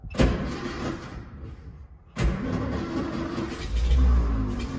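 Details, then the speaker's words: Royal limousine abandoned since 1990, no gas in the tank, a little gas poured into the carburetor: cranking, a pause, then a rising sputtering roar as it nearly fires on the primed fuel but doesn't keep running. "listen it almost went oh she wants to go she wants to go aha well it doesn't sound super great but it lives"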